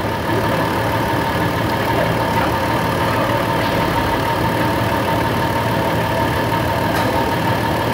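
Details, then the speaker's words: Idling engine with one spark plug wire deliberately disconnected to make a big air gap: steady idle with a faint uneven lope and occasional dropped beat; misfire from the open plug wire. "And what I'm going to do is I'm going to reach down and disconnect this make a big air gap. Okay, you can hear that on the camera"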